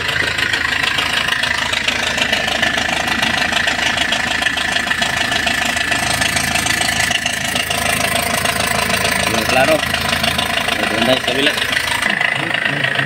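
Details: Hyundai Porter 2 diesel with low power: loud rough diesel clatter with even knock about two per second at idle; suspected injector washer leak or timing chain, piston rings mentioned, cause not confirmed.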